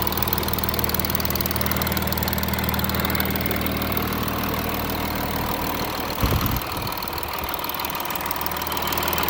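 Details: Audi A6 3.0 TDI 272 PS diesel idling after about 100 km of motorway driving, fully warm: steady idle with rough rattle and tick over low hum; camshaft and chain tensioner damage suspected, not confirmed.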